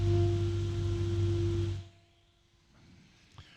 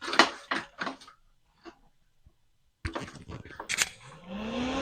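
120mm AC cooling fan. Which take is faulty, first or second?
second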